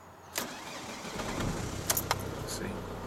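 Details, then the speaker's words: Ford Focus diesel, engine warm after earlier running, battery voltage watched on dashboard diagnostics: brief, heavy, laboured cranking before firing to idle; voltage drops to about 8 V, aged battery gone high resistance though charging at 14.1-14.2 V. "actually drops back to 8 volts. And you can hear the cars laboring anyway."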